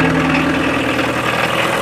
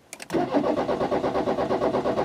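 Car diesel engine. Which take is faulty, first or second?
second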